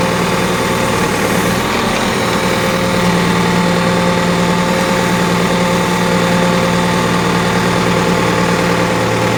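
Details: Backhoe at steady diesel idle: a fixed droning hum from the hydraulic pump that never changes with engine beat; the pump is abnormally noisy.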